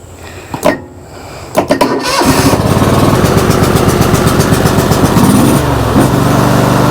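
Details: John Deere LX188 riding mower after starter replacement: a couple of sharp clicks and brief cranking bursts before it catches and settles into steady idle; hard start, new starter not the fault, owner suspects the little starter box.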